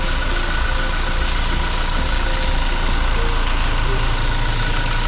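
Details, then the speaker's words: Toyota Fortuner 2400 cc diesel (same engine as the Kijang Innova): deep, even diesel clatter holding steady at idle with no knocks or surges, quiet with minimal vibration for a diesel; normal idle. "Nah, ini mesinnya, mesin diesel 2400 cc. Untuk ukuran diesel ini masih sangat senyap dan minim getaran ya. Terdengar ya suaranya."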